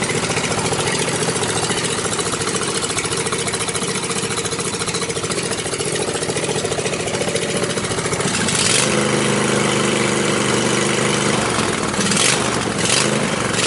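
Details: Riding mower single-cylinder engine after safety-switch bypass and push-start button install, blade clutch not yet connected: pops along through open pipes with a steady, even beat, no misses or knocks, a healthy normal idle.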